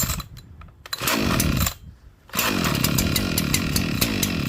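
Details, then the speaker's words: Echo CS-4910 chainsaw cold-started at about 2° with -10 wind chill, choke taken off after it fired: catching and dying back, revs surging and sagging before a ragged buzz; rough cold running. "her going. She does not like it. You can hear her."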